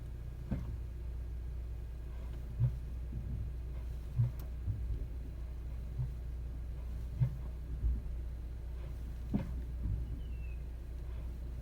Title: 2021 Honda CR-V Strange Noise From Underneath Braking at Low Speed